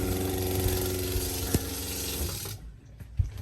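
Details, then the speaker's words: Caravan's original 12-volt water pump, before replacement with a SEAFLO quiet pump: droning buzz with a rough, uneven knock throughout that stops when the pump cuts out; the worn pump is noisy. "So our issue at the moment is mainly to do with the noise of the current pump, and I'm not sure how much you're going to be able to hear that on video, but this is the issue here. It's not the most enjoyable noise."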